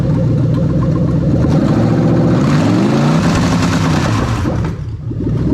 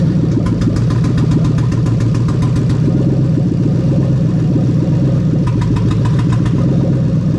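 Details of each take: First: Lexus LS430 3UZ-FE VVT-i V8 on ECUMaster Black standalone ECU with new harness, first start, straight-piped: quick revs climb and fall cleanly with no misses or knocks; starter and injector-ACIS working, engine runs healthy. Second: Lexus LS430 3UZ-FE VVT-i V8 on a new ECUMaster Black standalone harness, idling while injectors are unplugged one by one: idle turns lumpy and uneven with stumbling beats as each cylinder drops out, confirming every injector and coil works.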